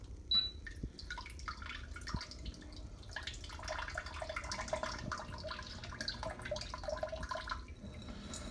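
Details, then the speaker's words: Bidet seat with tankless water heating and oscillating sprayer running its one-minute wash cycle from the wash-and-dry button: steady hissing spray with soft splashing, no pump grinding; normal wash cycle. "every cycle runs a minute now if you have limited mobility just push wash and dry"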